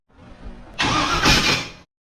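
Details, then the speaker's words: V8-swapped mini truck on its first start attempt with a temporary exhaust; the coil negative had been left unwired (no spark). A brief, harsh grinding crank of about a second never catches and sounds like a starter knocked askew: damaged starter. "Jesus what was that I just my pants you got me scared to try out just go that don't sound good now that doesn't sound good at all this never ever goes the way that I want it to"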